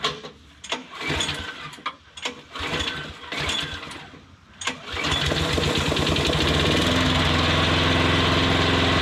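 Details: Modified lawn mower, freshly finished with oil added and blade guard refitted: several pull-cord tugs, then it fires and holds a smooth steady run with no stumbling; starts and runs fine.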